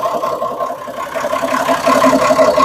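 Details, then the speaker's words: Homemade RV on 1966 GMC bus chassis with Perkins diesel, parked about 30 years: steady, even diesel idle with smooth hum, no knocks or misses; engine running healthy, though charging not showing and a slight air leak suspected. "other than that dang that thing sounds good"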